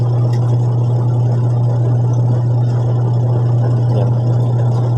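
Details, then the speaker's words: Washing machine after gearbox replacement (stock belt reused): smooth constant low hum, no grinding, knocking or rattle; gearbox no longer very noisy as before, now running normally. "Ayan, okay na nga yung ating gearbox. Hindi na siya ganun kaingay. And normal na yung ingay niya."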